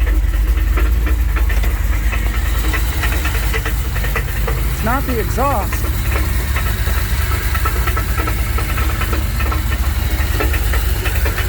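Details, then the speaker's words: 1984 Dodge D150 with a 360 small block V8 at idle, banging began suddenly after a 5-hour road trip; good oil pressure; heavy uneven low knocking about three per second; loose torque converter knock. "I'll uh fire it up and let you guys hear what it sounds like it doesn't sound good"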